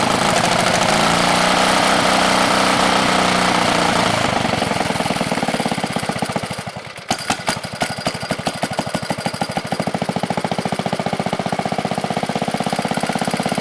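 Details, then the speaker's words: 1970 Wisconsin BKN flathead single-cylinder engine, about 7 HP, after sanding the points: a light hiss fades into a steady, even beat with evenly spaced exhaust notes; it runs cleanly and healthily. "But that noise that coil makes, you don't hear it when it's running."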